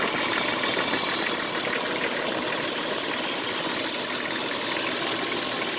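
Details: Jeep Cherokee XJ at idle: fast, uneven metallic rattle and hiss over a steady idle; owner also reports a scraping metal noise near the power steering pump; source not pinned down.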